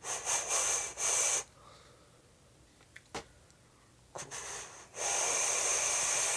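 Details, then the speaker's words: Phobia RDA vape atomizer after the airflow separator between the posts was pushed aside: two soft, breathy hissing draws with no whistling noise anymore. "so I don't hear the whistling noise anymore all I did was the the separator in in the airflow"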